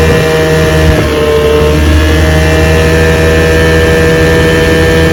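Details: Restored 1971 Johnson 6 hp two-stroke outboard on water test pushing a boat about 10 mph: even, steady buzz at constant throttle, no stumbling or surging; running cleanly.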